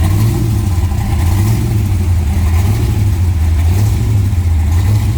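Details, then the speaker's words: 1966 Dodge Coronet with a 440 big-block built to 572 ci with Hemi heads, fired up and running: deep, steady, lumpy V8 rumble at an even rev with no knocks or misses; a healthy engine running strong. "We're gonna go ahead and fire this up, let you hear it run."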